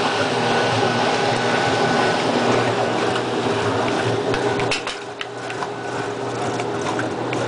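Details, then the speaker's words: Maytag washer that had stopped draining because a water-soaked belt slipped, tested after belt replacement with good belt tension: steady churning water over an even motor hum, no squeal, grind or knock; the pump is working normally. "you can see a lot of swirling in here that means the pump is working good now"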